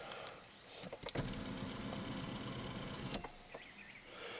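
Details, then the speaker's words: 1991 Pontiac Bonneville SSE, rescued from the crusher, power seat adjusted: faint whirring motor for about two seconds with a gritty grinding edge, like gears stripping; owner suspects bad motor or connection, cause unclear. "that's reminds me of the planes trains automobiles where the old john candy's over there trying to get the seat adjusted and it sounds like the damn gears are stripping out of it up there"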